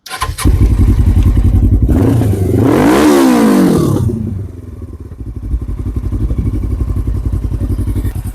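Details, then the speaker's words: 2007 Suzuki GS500F, revived after sitting and just ridden a short lap: catches right away, revs cleanly, then settles into a steady, even idle; fires right up, normal start and idle. "He'll have so much fun on this thing. It does fire right up."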